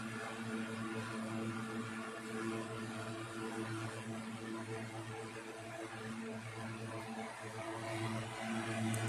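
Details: 1960s 16-inch Toastmaster box fan started up after storage since late 2022: steady low motor hum with soft even whoosh of air, no rattle or wobble; still runs good but owner says it needs cleaning and probably servicing.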